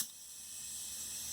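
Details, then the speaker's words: Air compressor losing pressure whenever an air tool is used. Steady high hiss of air refilling the hose after the trigger is released; with the hose disconnected and the tool fitted directly, pressure stayed full. "okay just another quick video i was having a problem with my compressor losing pressure when i would try to use the air holes show you what i mean see how it loses pressure then when i let go of the trigger"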